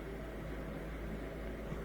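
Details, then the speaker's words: Miele Incognito dishwasher whose circulation motor had cycled about 10 seconds on, 10 off: after the fix, steady low hum with water swish holding continuously as it fills; circulation now normal. "I think it's continually circulating now as it fills with more water we should hear it shooting around even more and more there we go"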